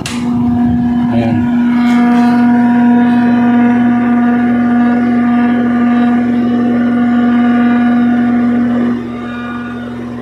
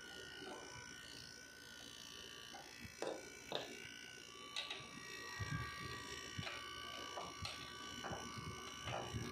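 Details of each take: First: A window-type aircon is fine on fan but loud on cool, giving a steady hum with a strong low buzz. The compressor's rubber mount was hitting its base plate; the noise went away once this was fixed. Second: Window-type air conditioner on cool after repair: low even hum with light clicks, the loud drone gone; compressor rubber had been hitting its plate.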